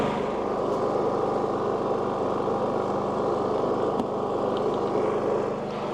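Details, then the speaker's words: Generator running on propane fed from the RV through a DIY quick-connect hose, before a load check: steady, even engine drone at constant speed with no misses, surging or knocks; normal running. "Okay, so now that this is fired up and it's running from the RV, we're going to do a load check just to make sure it runs, and then we should be good"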